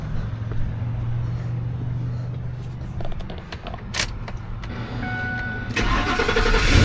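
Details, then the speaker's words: 2005 Ford F-250 after a starter replacement the customer attempted themselves: starter whirs briefly, then the engine catches and settles into a firm steady idle; it starts. Normal engine start. "There we go. Sounds like crap, but she starts."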